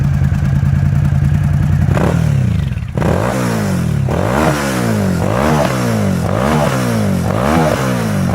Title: klv1000 with gasoline in the exhaust system. (backfires)